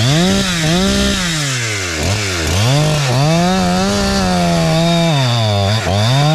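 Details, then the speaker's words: Husqvarna 372-style chainsaw with a Hexa chain and a new carburetor tune set slightly safe in the wood. It holds high revs through an old log, sagging and recovering with feed pressure, and four-strokes richly off the cut: healthy running. "So it's high revving. It's revs a little higher, but when I come out of the cut, it is four stroking because I'm t I tuned it in the wood."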